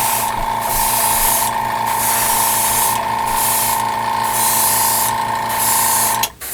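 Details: Steady airbrush spraying paint for scale-model work: an even, unbroken hiss of air and paint with a faint steady tone and no spitting or sputter, so the airbrush is spraying cleanly.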